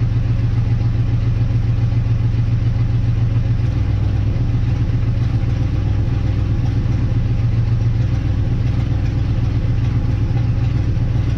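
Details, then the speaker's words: 1958 Dodge Coronet Lancer V8, a barn find sitting 30 years, after the condenser and coil were checked and the rotor and cap refitted: a low idle that lurches with irregular sputters and shakes. Rough misfiring idle. "still doing that sputter thing for my recollection when this thing first ran it was very smooth now I can see it shake a little still sputtering"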